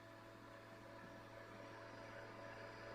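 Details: Small coil motor running with a new delay line at about 5,000–5,200 rpm, around 10 V and 191 mA: faint steady whir with an even hum throughout; running smoothly, better than before.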